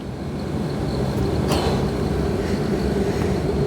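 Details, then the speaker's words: Fiat Doblo Cargo van, heater blower running with engine on before removal: steady whirr with faint chittery edge, worse when engine and car are cold or cornering. "I can hear it yeah it's like a little chittery chittery worry worry it actually gets quite bad especially when the engine is cold and the car is cold or we're going around a corner and we're moving it makes a noise sometimes"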